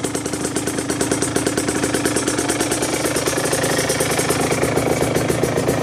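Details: 2009 Aprilia RS125 two-stroke: uneven, lumpy idle with a steady knock on each beat; gearbox issue also noted, cause unclear.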